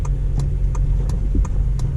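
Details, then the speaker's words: Honda Civic Si, 8th gen, driving: light, regular knocking about three times a second over road rumble from the driver's side front. It happens mainly on bumps or turning. "that little banging maybe a little bit it's mainly on bumps or turning so I don't know what the deal with this is"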